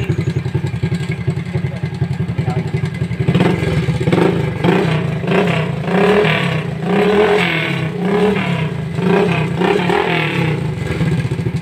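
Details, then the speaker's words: Rusi 100 single-cylinder motorcycle at idle before repair: loud, fast metallic clatter from the side cover that swells when revved, likely the timing chain. The rattle was the main issue, alongside bearing, brake switch, chain cleaning and starter Bendix work. "Ito yung maingay, makalansing. So marami tayong inayos dito."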